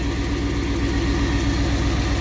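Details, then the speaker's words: 1959 Ford Fairlane 500 idling: steady, even, smooth low rumble with no ticking or misses; it runs smooth even with its timing chain as it is. "The thing is just really, I mean, it's not even moving. I mean, it's running smooth, even with that timing chain like it is."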